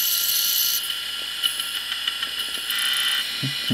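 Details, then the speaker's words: Opened Quantum ProDrive ELS hard drive that failed gradually: thin spin-up whine with irregular scraping ticks and dull knocks. The heads are crashing into the rubber stopper near the spindle and are badly scraped. "so you can see there the heads are colliding with the spindle which is what happens in that rubber piece it's a rubber stopper toward the center here underneath the platters"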